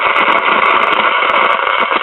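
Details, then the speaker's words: 1951 Silvertone five-tube radio, capacitors, cord and bad tubes already replaced: loud continuous thunderstorm-like crackling static that drops out; leaky internal mica capacitors in the output IF transformer leak primary voltage onto the secondary. "sounds like a thunder storm what happens is the internal mic capacitors in side of the if Transformers become leaky and thus causes voltage to leak from the primary winding over to the secondary winding"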